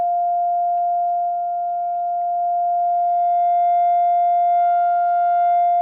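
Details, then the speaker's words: Crosley 635 Buccaneer radio alignment, second IF at 450 tweaked first: steady pure tone holds and grows slightly louder toward the end as the IF is peaked to loudest. "That's quieter. [bell] All right, that's the loudest that one is."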